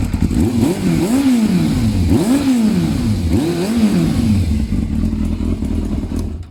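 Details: Yamaha Thundercat 600 on a newly fitted exhaust, with the exhaust bracket snapped: a deep, throaty exhaust rising and falling with quick throttle blips about once a second, clean pickup and even return. Normal revving, healthy.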